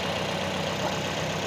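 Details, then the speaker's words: Used ex-taxi car engine being checked before purchase: steady, even idle with a smooth low hum, not limping or stumbling; normal idle, whereas a limping idle would point to spark plug or other trouble. "Nah untuk yang mesin Normal itu idalnya itu standar gitu ya kayak gitu Jadi gak enggak pincang"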